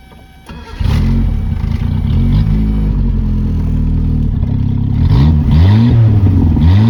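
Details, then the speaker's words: 1977 Honda CVCC with Weber 32/36 carburetor, off the road 11 years, choke not hooked up in hot weather: starts and settles into a steady, even idle around 1200 rpm with one light blip; running smooth and healthy. "seems to be idling good about 1 1200 maybe"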